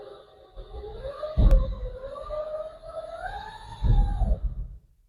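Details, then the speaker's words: 1971 GMC electric truck with Lexus GS450H transmission, input shaft locked, spinning MG2 only, unloaded wheels, trans fluid pump disconnected: clean motor whine rising and easing, soft clunks at start and stop; normal unloaded spin. "Okay, I think that's as normal as it's going to sound."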